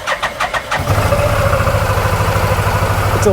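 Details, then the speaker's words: 2018 Odes 1000 X4 LT two-cylinder UTV, slow top speed and hard shifting: catches after cranking puffs into uneven, lumpy idle; not running on both cylinders, likely injector problem. "it's got a it's a little rough so that might have been the whole problem is that we're not running on both cylinders"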